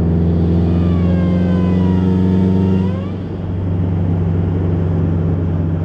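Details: 2011 Subaru WRX, second day after a stage 2 tune: a thin rising whistle that appears only under boost, fades at high boost and vanishes off throttle; a boost leak is suspected, not confirmed.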